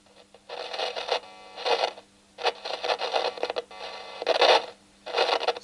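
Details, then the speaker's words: Volume-control potentiometer tested with a signal tracer, fed from a low-voltage DC supply through a capacitor on the wiper. Bursts of crackling come and go as the knob turns; scratchy potentiometer. "So this is somewhat scratchy right there."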